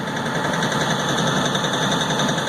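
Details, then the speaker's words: LS XR4155 tractor diesel, throttle at minimum: steady fast rough clatter, idling by itself at almost 1200 rpm; high idle, owner hopes water in fuel but doubts it. "all right guys I'm not doing nothing with the uh throttle on this it's sitting at almost 1200 RPMs that's all the way"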